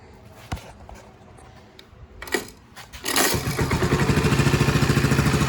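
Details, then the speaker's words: Restored 1984 Honda ATC110 three-wheeler with rebuilt top end and carburetor, restarted; a few handling clicks, then the single fires on the first try and settles into an even, steady putter: healthy start. "One thing I love about Hond's, it's either one pull or one kick all the time."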